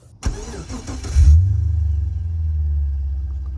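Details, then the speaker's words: Holden VX Calais/Berlina/Statesman idling after reconnecting a vacuum hose joiner behind the dash, fixing climate control stuck blowing only to the windscreen. Smooth, steady low idle with no hiss; vacuum system sealed, no leak. "well that's a good start I can't hear any leaking"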